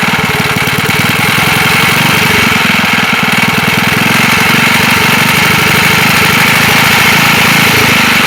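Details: Wisconsin single-cylinder engine that sat a long time, running loud and rough with a dull knock on each firing stroke, about four a second; slight play felt in the rod at the crank, suspected rod knock; also leaks oil and fuel.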